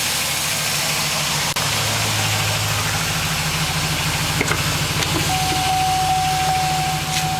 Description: 2006 AWD Trailblazer SS piston slap cold start.